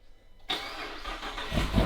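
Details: 2018 Jeep Trackhawk widebody, totaled and rebuilt with a built Demon V8 and bigger supercharger, start on a 20° morning: brief cranking catches at once into a deep, even rumble that builds smoothly; fires cleanly first try.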